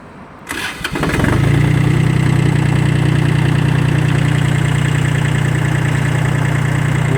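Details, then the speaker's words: Kubota L1-18 three-cylinder rear-wheel-drive Japanese mini tractor with rotary tiller, 877 engine hours: short crank, catches within a second, then steady even diesel idle clatter with no misses or knocks; normal start and idle. "давайте же запустим трактор и послушаем как работает двигатель"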